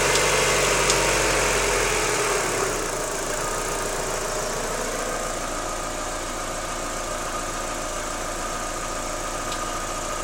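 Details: Daewoo Lanos 1.6 16V at idle: regular light knock about four per second from front of engine, near timing belt; knock disappeared after replacing timing belt and rollers, removed parts looked fine.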